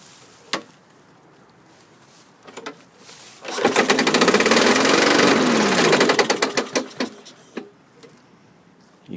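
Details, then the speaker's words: 2003 Craftsman self-propelled mower, 6.25 hp engine, 22-inch blade, primed: fires briefly, revs up and dies, likely a dirty carburetor, with a loud rapid clatter from the blade banging throughout. "could hear that blade just banging away so it did start install indicative of dirty carburetor but that blades really bang and like heck"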